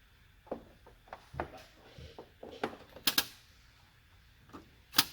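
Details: JVC DLA-RS15-U D-ILA projector that won't power on or light: sharp uneven clicks every second or two as the lens door motor cycles, door trying to open and sticking; fault traced to the power board.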